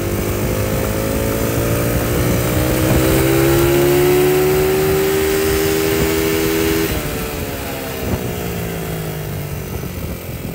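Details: Small petrol engine running smoothly after fixing detonation, revving up and settling with no knocking or pinging; the knock had come from advanced ignition timing due to a mismade stator plate and/or flywheel, corrected by repositioning.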